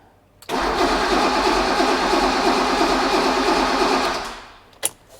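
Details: Rebuilt BMW E28 M5 engine, final crank before first fire-up with the plugs fitted but the crank sensors disconnected so it won't fire: about four seconds of steady, even chugging near three per second. Compression sounds even across cylinders; normal cranking.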